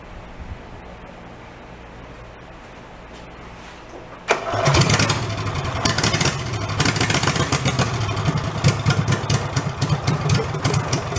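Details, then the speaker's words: Amusement-park go-kart with a 16 hp engine replacing the 5 hp, muffler removed, a little choke: silence, then a loud, fairly steady popping beat from the unmuffled single-cylinder; normal running. "That's more like it. I like it better with no muffler."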